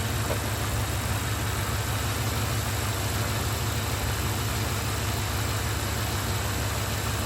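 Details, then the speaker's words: 1994 OBS Chevy pickup V8 after distributor and ignition coil swap and timing set with a timing light: steady, even low rumble at idle, no misses or knocks; sounds tight, normal idle. "that sounds great that's tight"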